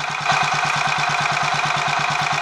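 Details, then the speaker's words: Royal Enfield 500 Machismo electric-start single after starter noise fix, 20W-50 oil replacing ATF in the starter sprag/freewheel area, warming on choke: steady even thump about eight beats a second, no knocks or grinding, slight whirr remains; normal idle, much better. "I think that's a lot better obviously there's still a woring noise I mean you're going to get some degree of noise in a setup like that"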